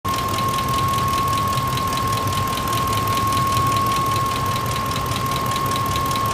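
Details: 2004 Ford F-150 XLT Triton V8 idling with a steady quick metallic ticking/knocking over the engine note, about four ticks a second, appearing suddenly after running well; cause unknown.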